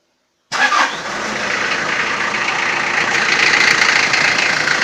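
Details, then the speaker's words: Toyota 4B diesel, cold start in frost, knock began after injection pump repair (plunger pair and nozzle replaced), timing adjustment ineffective: catches into a hard rattly clatter about four knocks a second, strong until glow plugs warm it; cause unconfirmed. "так сейчас заведу машину штук будет сильный пока свечи накаливания маленько не подаст минут потом чуть послабее"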